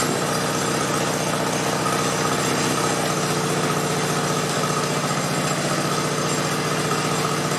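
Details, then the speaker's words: 1969 Sunset Orange Patio small single-cylinder engine after brake adjustment: it chugs evenly at a steady pace with no squeal or rumble from the belt pulleys; the earlier noise is gone. "it's pretty quiet now which is nice you could hear it making some noise before where now it don't so I would call that a win"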